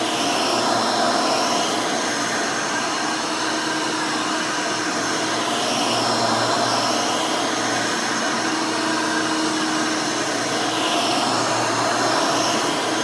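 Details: Rebuilt Hoover Elite 600 upright vacuum with new 7 amp motor and 20-blade fan running; smooth, steady high-pitched whirr with even tone, no rattles or grinding; fairly quiet, like the original 6 amp, healthy.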